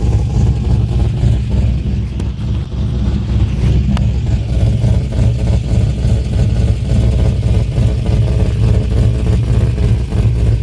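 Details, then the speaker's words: Deep loud exhaust rumble with uneven bubbling puff from a leak at a newly installed muffler joint, possibly overtightened or too little pipe engagement. "Yo, I can hear something. Sounds like bubbling, but it's coming from the exhaust."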